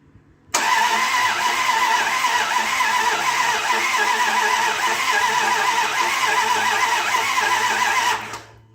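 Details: 2001 Dodge Ram 1500 after a used replacement engine swap, at first start with fuel drained from the rails: eight seconds of steady starter cranking with the fuel pump cycling but no catch. The pickup coil (crank sensor) wire was pulled from its plug, causing the crank-no-start.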